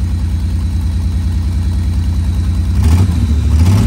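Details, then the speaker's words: 1985 Pontiac Fiero GT idling, heard close up with an exhaust leak and AC running: low, slightly uneven beat with an occasional skip, a misfire; plugs, wires, cap and rotor already replaced, suspected bad cylinder or fuel injector. "I mean, the motor don't sound all that bad, but there's a skip."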